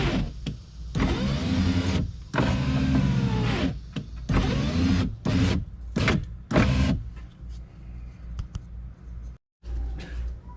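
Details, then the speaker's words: GS power window after replacing the regulator and motor assembly: motor whine in short strained bursts, stopping and starting unevenly; the longer of two different-length bolts was installed in the wrong spot, fouling travel. "so as I can see these two bolts are two different lengths okay and I put the longer one in this spot which was I was hitting right here and you're not supposed to hit there and I was hitting because like I said the bolt was too long"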